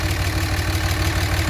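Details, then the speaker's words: 2006 Dodge 2500 Cummins (3rd gen) with a blown motor, at a steady diesel idle with a low rumble and faint uneven beat. The excessive crankcase pressure is suspected to come from a failed injector adding fuel. "okay but if the injector has failed there's gonna be extra fuel in there it can create some extra crank case pressure changing the injector might fix it"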